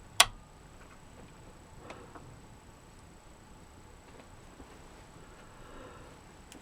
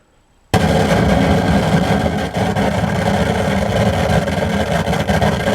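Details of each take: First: Pioneer SA-8800 Mk2 amplifier after protection circuit repair: at power-on, a single clean click as the protection relay engages after a brief delay, then a prompt click as it drops out at switch-off, no chatter. Normal relay switching. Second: Pioneer SA-8800 Mk2 amplifier after re-capping and protection circuit repair: harsh, dense crackling and spitting bursts from the speakers the moment it powers up.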